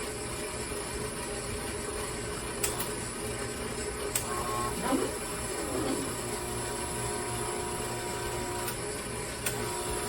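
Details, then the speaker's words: Old automatic surface grinder being put back into service: steady motor hum and hiss with scattered light internal clicks; something rattles inside though nothing feels loose, source not found; hydraulic pump not heard working (no hydraulic fluid in it). "I guess really something that sounds like it's rattling in here, but nothing feels loose. I'll have to sort that out."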